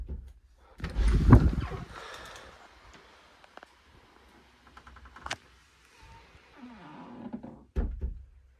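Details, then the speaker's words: Possibly a Boss 4.224 door closer with non-original arms, grease deliberately removed: door swings shut with a faint dry creak, then a pop/knock at the end from a popping hinge piece. Squeaky door closer from lack of grease. "I taken out all the grease cuz I like squeaky door. So this is what it sounds like currently."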